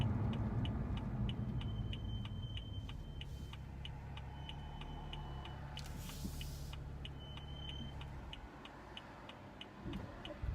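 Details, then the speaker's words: BMW M235i with M brakes, pads changed two weeks earlier, about 53°F: thin high-pitched squeal coming and going over low rolling rumble and ticking, brake squeal persisting for six months even when brakes are warm. "I've had this problem for about 6 months now, and when I take it in for service, they just say that these brakes have a lot of brake dust, but I think it's something way bigger than that. The car isn't supposed to sound like this from the factory."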